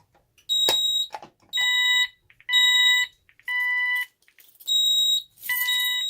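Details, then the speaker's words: Ademco 6139R alarm keypad on test bench, fire zone activated: high, shrill beeps in half-second bursts at uneven spacing, some tones breaking up; sounder stutters, though less than the other keypads tested. "So as you can hear, this one does stutter a little bit as well, but it doesn't stutter as bad as my other keypads."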